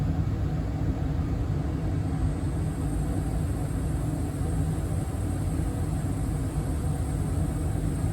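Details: 2023 York HVAC system indoor furnace blower running on high in cooling mode, after evaporator coil replacement fixed earlier freeze-up; steady, even rush of air with low rumble, no ticks, scrapes or pulsing. Normal blower running on high.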